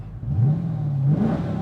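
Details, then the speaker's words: Gen 3 Hemi Challenger V8 on a base tune running in VE mode, no wideband fitted yet, commanding a rich 11.9 air-fuel at wide open throttle: short clean throttle blip rising and settling evenly with no misfire; normal running. "runs just fine. So I'm gonna leave it off, and then so I'm gonna head home here in a second, and then I'm gonna go put the wideband on it real quick."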